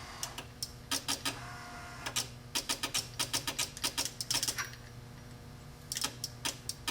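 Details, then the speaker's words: Spare wiper motor bench-wired for a 1955 Chevy truck through two junkyard relays and a switch: quick bursts of sharp clicking with a faint motor hum that cut out and resume; bad ground connection, intermittent on second click; intermittent bad ground. "The trouble is bad connection, but if you ground the body there, you can get the ground to stay. It works on one click, and then intermittent on the second click, and this way is off."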